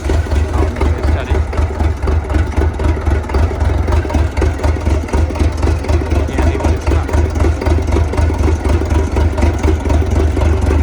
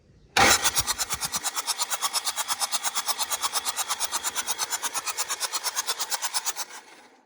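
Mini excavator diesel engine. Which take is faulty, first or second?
second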